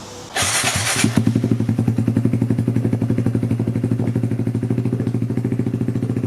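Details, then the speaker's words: Kawasaki Z125 PRO just after Dynojet Power Commander 5 install with O2 simulator, O2 sensor left in; starter whirr, catches immediately, steady even idle thump, no misses. Normal start and idle. "Started up pretty good. Pretty much that. Call that a successful install."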